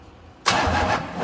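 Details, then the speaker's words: 1965 Pontiac Catalina first start in about 20 years, new plugs and plug wires, fuel dumped in carburetor, distributor hotwired to battery; quiet, then fires on first try into an uneven roar surging twice. "just got a wire stuck in there see what it does backfire through the carburetor or it's gonna try and start let's see"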